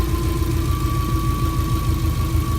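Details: Subaru EJ20-engined VW Kombi, rear engine, recorded near the fuel pump after first-time start: smooth low flat-four idle with faint steady whine on top, no knocks or misses; settled, healthy idle.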